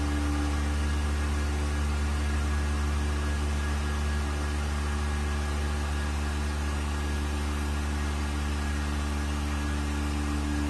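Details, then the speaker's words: Vacuum pump on a 1600-litre mixer during a vacuum test with lid bolts fastened and an empty chamber, gauge vacuum rising toward 0.08; steady low hum with faint constant tone, no knocks or rattles, quiet good-quality pump running normally. "This is a vacuum pump. Very low noise. And this is a good quality one. Low noise."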